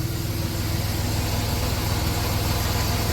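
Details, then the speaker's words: 1990 Dodge Grand Caravan LE, likely original engine at 275k miles, after storage, oil pressure up and charging; smooth even low rumble at idle, no ticking or knocking (was ticky when bought); healthy quiet engine. "Listen to that motor pur. Remember how ticky that was when we first bought it? That motor is dead silent for 275."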